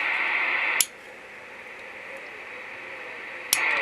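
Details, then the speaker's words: AR3500 radio with a 100 bilinear amplifier: steady receive hiss cuts out with a click when the amp is switched on and returns with another click; all receive is lost. The 2SC2999 transistor tested good, so the owner suspects the relay. "disconnects it from the from the antenna not only does it not amplify it it you lose all receive that shouldn't be happening"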